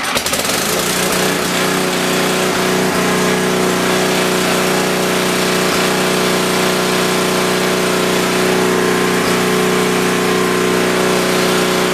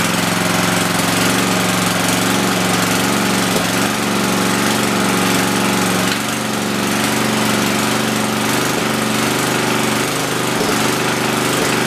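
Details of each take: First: Rebuilt Tecumseh 10 HP generator engine holds a steady, even drone at constant pitch under load, with no misses or surging, at about 61.2 Hz after a small tweak (earlier it dropped to around 52 Hz); normal running. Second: Rebuilt Tecumseh 10 HP single-cylinder generator engine, first run: steady lazy drone, engine speed far too low, to be raised before loading.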